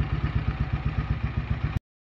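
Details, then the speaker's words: Honda CM motorcycle being fitted with exhaust wrap: low lumpy idle with uneven thumps about eight to nine a second, beats unequal in strength; rough running. "sounds like we've got a car issue there at least it runs"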